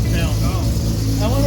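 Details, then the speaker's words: SCCA E-Production RX7 rotary at its first start after a rebuild: rewired direct-fire ignition, new rejetted Weber carb, external oiling reassembled, oil and fuel pressure confirmed. Low, even, smooth burble without the usual choppy brap, which they attribute to the direct-fire ignition; running fine. "so she's running it's living doesn't have that rap sound like right here"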